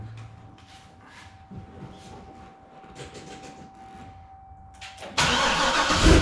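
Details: Corvette C6 Grand Sport LS3 V8 just after installing a Halltech MF-103 cold air intake with beehive filter: quiet cabin with steady chime, then the V8 fires promptly and revs cleanly; healthy start, no check engine light.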